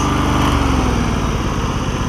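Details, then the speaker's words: John Deere LX188 lawn tractor after fuel system overhaul with the carburetor refitted, muffler still burning off junk: small single-cylinder settles smoothly to a steady idle with no hunting or sputter; normal idle. "idles down like it needs to this one is so much quieter than that 279. that's fantastic"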